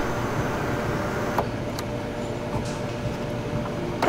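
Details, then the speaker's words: 2021 Kia Telluride sunroof after refitting the motor and putting the panel back on track, following a broken wind deflector: a soft, even motor hum with light clicks as the panel closes fully. It works normally, so nothing was broken. "So there it is. It's working. So that's great news. That means that the thing's not broken. It just came off track."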